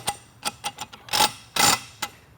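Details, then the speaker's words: Locker differential with spring-loaded teeth, turned at differing wheel speeds as in slow parking-lot maneuvers or tight turns: crisp irregular clicks and louder snaps as the teeth ramp over and disengage; normal locker ratcheting. "this is the type of noise that you'll typically hear when one's turning at different speeds such as a slow parking lot maneuver or really tight turns"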